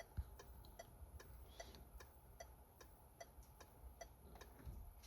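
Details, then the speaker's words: PSA-group car, right indicator test via Launch Creader Elite V3 PC diagnostic actuator function: soft, even ticks a bit over one per second over a quiet background; indicator relay clicking normally. "Donc ça c'est pour le clignotant droit, donc ça je peux effectivement tester clignotant gauche."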